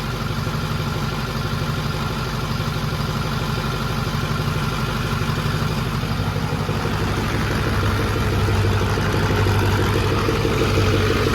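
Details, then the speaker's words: 6.4 diesel pickup on first fire-up after build: diesel idle with quick, fairly regular flutter about three beats a second; unplugged fan clutch connector tab flapping against the fan. "forgot to plug in a fan clutch that's my fault too but we need to pull it around and you can probably reach through the fan I think great because I could hear the tab down there I was like what the heck is flapping around down here"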